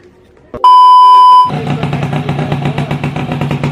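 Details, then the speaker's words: Yamaha F1ZR two-stroke engine shipped from North Jakarta, test-run before teardown: short beep, then rough idle with uneven rattling knocks from mid-engine, engine shaking, noise also near clutch; crankshaft bearing and connecting rod worn. "Jadi ada sedikit suara di bagian tengah Hai sama kopling dan teman nanti kita buka aja biar lebih jelas"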